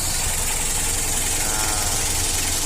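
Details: Mitsubishi L300 diesel after injection pump service and tune-up, previously rough, knocking and smoking: even diesel clatter at steady idle, no misses or hunting, smoke gone; worn pump fuel setting maxed.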